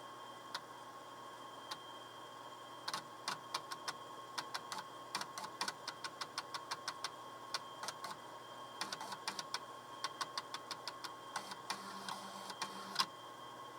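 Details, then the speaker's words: 8-inch floppy drive from a TRS-80 Model II, attached to a PC that is now booting from an 8-inch disk: irregular sharp clicks and short stepping bursts over a faint hum, normal seeking and reading. "yes we actually have this pc booting off an eight-inch disc it's actually working and uh this disc it's full of files and stuff i copy stuff onto it"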